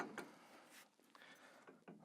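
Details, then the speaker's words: Cross trainer in use: sharp clicking clunks about every half second with each stride from loose load-bearing pivot screws or hand adjuster; fix is tightening them, roughly once a year or at service. "sometimes they can just work loose you shouldn't need to tighten them up very often"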